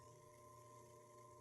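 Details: Clear acrylic Flowserve ANSI centrifugal pump running at about 70 GPM, -6 PSI suction and +6 PSI discharge (12 PSI differential, near curve): steady even hum with constant mid tone and soft water rush, no knocks or surging; normal operation.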